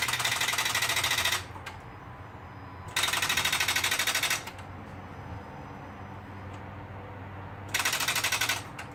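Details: 2012 Honda Accord that suddenly won't start. Lights work and a jump from another car didn't help. Three bursts of fast, sharp clicking with no cranking: rapid-click no-start. Owner suspects a spark plug or the starter.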